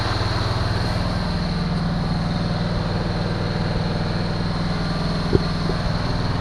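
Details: 1974 Chevy Nova V8, bought cheap and first start with fuel poured into the carburetor bowls: loud, steady, fast idle with a quick even beat that never settles, heavy smoke; idle far too high because the choke is still on.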